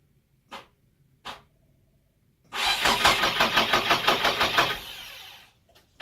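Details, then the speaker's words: Nissan Silvia S13 first start after fitting a new starter motor, ignition barrel suspected faulty: a few lone clicks, then about three seconds of even starter churning near three beats a second without catching. "okay we're getting you we've got consistent cranking now which is really nice"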